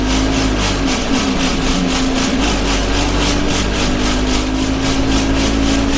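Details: Arriva Yorkshire Alexander Dennis Enviro 200 bus 1065 (YJ09 CVD) driving on service 283, Bradford to Batley, recorded in the cabin; steady diesel drone with a pulsing, rattling vibration beating evenly, source not pinned down.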